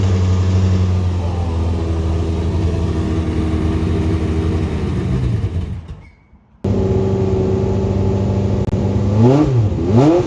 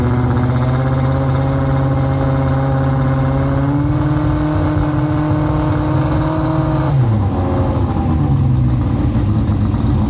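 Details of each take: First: Late-1980s IMSA GTO Gen 3 Camaro race car, V8, first start after arriving from the US, both fuel pumps on with fuel pressure: deep, even burble, brief drop-out, then clean throttle blips with no knocks or misses; sounds like good compression, healthy. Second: Late-1980s IMSA GTO Gen 3 Camaro V8 race car with 90 mm exhaust pipes: very loud, deep roar held at high revs then dropping off, nothing muffling it; later measured 117 dB at 4,000 rpm versus 105 dB limit; silencers essentially empty.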